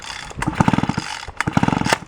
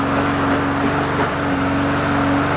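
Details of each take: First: Free roadside small engine, pull-start attempt: rapid compression clatter that never fires. A plug test with a ground jumper showed no spark; the switch is suspected. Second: Free roadside lawn mower with primer bulb, primed three times, started on first pulls; steady even buzz at constant speed, no misses or knocks; running normally.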